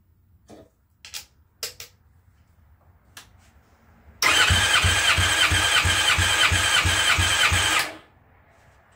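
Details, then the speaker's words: Methanol-fuelled bike engine, warmed up, plugs out, fuel pump unplugged, cranked on one battery: fast, even cranking with strong, equal compression pulses about three a second, reading 240 psi on the gauge; normal cranking compression. "240 on the dot again i don't know if you can hear how fast it's cranking but that's only on one battery i usually run two 240 on the dot okay we're good"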